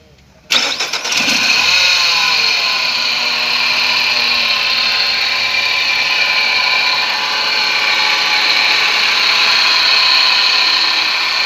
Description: Abnormal noise from Alternator Nissan serena C24 |engine QR20DE